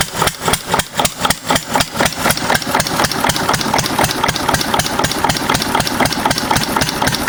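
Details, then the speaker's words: 6 HP Witte diesel-electric single-cylinder engine, about 80 years old, hand-cranked after valve work, oil change and fuel system cleaning, first run in ~30 years: thumping about four beats a second surges unevenly then settles; governor hunting after start. "kind of hunts for a couple seconds until she uh gets in for a good rhythm. Starts pretty easy though for being 80 or so years old."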